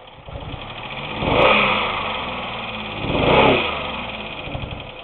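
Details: 2001 Pontiac Grand Am after a failed lower intake manifold gasket repair: engine stumbles and surges every two seconds, barely holding idle; misfire later traced to a burnt exhaust valve, plus possible rod knock, cause unconfirmed.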